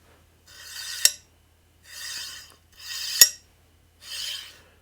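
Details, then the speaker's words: JGAurora A5S 3D printer replacement generic linear bearing slid by hand: four even hissing strokes, smooth with good preload, no binding, fairly quiet, far better than the stock bearing. "no bubble it's got a good preload run smoothly reasonably quiet"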